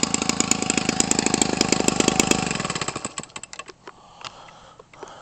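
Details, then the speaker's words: Homelite 25cc two-stroke converted for RC use, cut down and nearly new, swinging an 18.6 propeller. It hand-starts easily on strong compression with crisp, evenly spaced firing around eleven per second and runs cleanly: a normal start and run. "You feel it? This thing here is gobs of compression. Hear that? That's why it's so easy to hand start."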